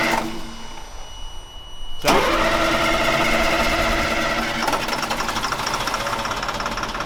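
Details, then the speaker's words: FMTV military truck bought at auction as non-running, first start attempt: silence, then the engine catches at two seconds and settles into an even, steady diesel clatter at idle; now running properly. "[Music] motor what is it you're making a face it's running now yeah i'm getting the hell out of the parking lot"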